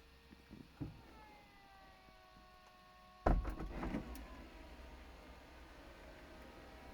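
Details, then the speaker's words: VW Eos convertible roof closing, with a roof flap cable already a recurring problem: steady motor whine sagging in pitch, then a sudden sharp pop and clatter midway; something seemed to fly or pop out and the roof did not finish closing. "okay something's not happy something isn't happy sounded like i heard something fly did something pop out"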